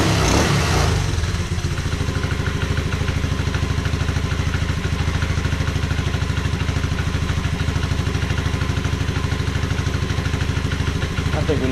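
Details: 1986 Honda Fourtrax 125 single-cylinder ATV, first test fire after carburetor cleaning and pressure wash, idling with a crisp, even thump and no missed beats; clean, steady idle, running properly.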